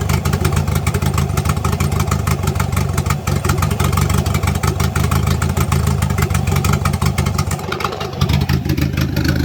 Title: No more exhaust leak